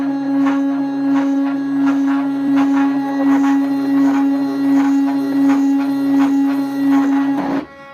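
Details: DIY CNC machine test run at 250 mm/min feed: the X axis vibrates heavily, giving a loud steady droning tone with a pulsing buzz about once a second; cause unknown.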